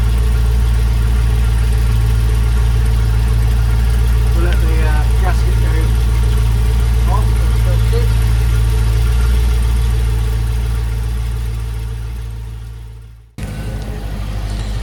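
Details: Land Rover Discovery 2 V8 petrol, possibly on choke, after replacing the exhaust mid and rear sections: smooth, deep idle with an even, steady burble and no ticking or blowing, then switched off; sounds healthy, with condensation judged normal, not head gasket.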